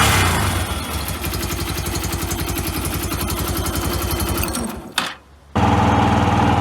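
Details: Yamaha YBR 125 after swapping in a used engine, replacing one that rattled with no power from a suspected failed crank bearing: steady, even single-cylinder putter with no knock or rattle. A normal idle.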